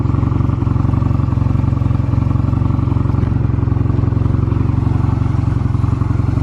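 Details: Stored Honda Rebel 250 Special (MC13-1103) start-up check: even, quick thumping beat holding steady with no ticks or knocks; normal idle, no abnormal engine noise.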